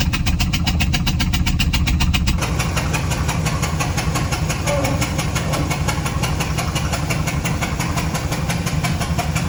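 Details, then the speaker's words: Ford 6.8L V10 with a blown-out spark plug on the rearmost cylinder (believed number five), coil pack broken: cranks into a rough idle with loud rhythmic puffing from that cylinder. "you guys will get to have a listen to this thing makes all kinds of Racket puff puff puff puff"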